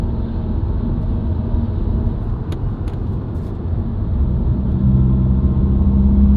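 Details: Subaru WRX, recorded inside the cabin while driving: steady low humming drone under road noise, rising with road speed, unchanged by revs, gear or clutch. Dealer-diagnosed broken centre-diff viscous coupler, recorded before repair.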